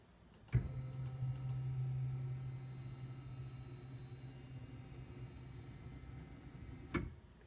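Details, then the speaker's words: Carl's aluminum carriage fitted with linear ball bearings in place of the stock bushings, carriage traveling at 2800 mm/min: steady low stepper hum with faint high whine, starting and stopping cleanly; maybe about 1 dB louder than bushings (about 67 dB), normal running. "we may have gone up about One D of noise running ball bearings I don't see a difference now this is set at the same speed it was 2800 m mm per minute"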